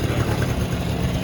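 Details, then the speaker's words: Polaris Sportsman 90 two-stroke after a top-end rebuild; steady low idle with a dull, slightly lazy burble and no misses, running a little rich after the idle jet was drilled out, so it probably needs retuning. "Damn, it's a little rich. I drilled out that idle jet before this,"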